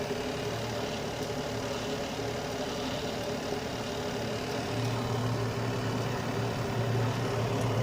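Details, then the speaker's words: Carrier Infinity 96 (58MVB-080) direct-vent gas furnace heating on low stage, which it runs about 90% of the time, with outside combustion air and blower-on delay while the heat exchanger warms: steady, soft hum and even airy rush with no knocks or rattles; normal. "it's very quiet especially when running in low stage um it normally runs in low stage about 90% of the time"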